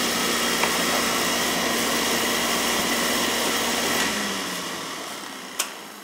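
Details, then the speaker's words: Beckett oil burner that kept tripping its safety control, after loose wires were found and good oil flow confirmed: steady, even roar with no pulsing, rumble or sputter, then smooth wind-down; firing cleanly. "we're getting a good oil flowing it's firing up good"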